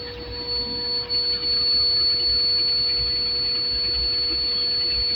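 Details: Truck air brake system: constant high hiss with a thin steady whistle, no pulsing; compressed air escaping from a leaking rear brake chamber (booster), confirmed by soapy-water bubbling.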